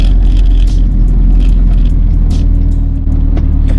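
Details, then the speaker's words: Turbocharged Honda S2000 (AP1), warm, on first drive: heavy low rumble under hard acceleration with lag, then choppy stutters and power cutting out; cause unknown. "Now, as you saw mine, the first little half, it kind of lags. I'm assuming that's what turbo lag comes in, but you hear it kind of cut out. Like, you hear it like if it's kind of almost two-stepping, but it's not."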